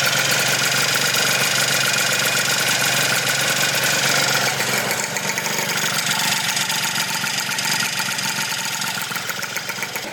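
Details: Honda Elite scooter with 120cc stroker two-stroke, before tuning: raspy, uneven burbly idle that stumbles and sags; owner suspects running super rich or fouled plug, unconfirmed.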